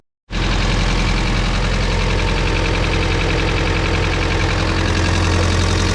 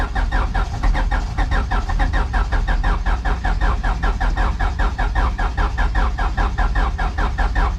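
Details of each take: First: Turbo H2B after coil-on-plug conversion, started on a jump from a low battery: engine catches instantly and settles into a steady, even idle with no misses or knocks. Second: Turbo H2B-swapped car, distributor installed, started off a battery jumper: even starter cranking at a steady beat for about eleven seconds that never catches; crank no start.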